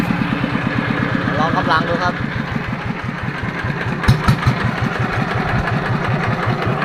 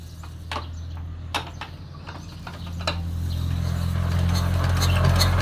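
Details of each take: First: Yanmar TF115 LM single-cylinder diesel after repair for hard starting (pump plunger and other parts replaced; inner bearings not done): even, steady idle thumping, firing cleanly; idles normally with good pressure. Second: Yanmar TF115 LM single-cylinder diesel, hard to start when cold: scattered clicks and cranking for several seconds before it slowly catches to a low steady thump. Mechanic plans to check the pump plunger, injector and pump valve.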